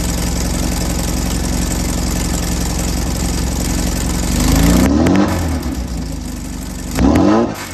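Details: 1968 VW Baja Bug, after backfire cured by adjusting ignition timing with a voltmeter: steady even idle, two clean throttle blips rising and settling smoothly, no popping or backfire; engine sounds healthy.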